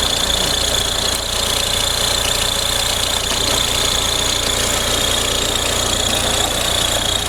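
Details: Audi A4 B6 1.9 TDI diesel at idle: a steady high-pitched chirping rattle about three times per second rides over the diesel clatter, caused by a worn accessory belt tensioner.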